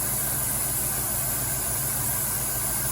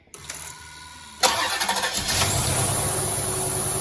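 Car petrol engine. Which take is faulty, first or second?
first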